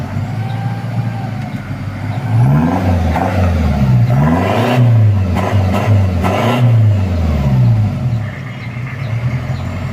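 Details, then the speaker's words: Mitsubishi Challenger 4M40 turbo diesel after repair of rough idle and low power: pulls up smoothly through several revs and settles back, even exhaust note, no whistle or rattle from the turbo; healthy. "Suaranya halus untuk suara ke turbonya."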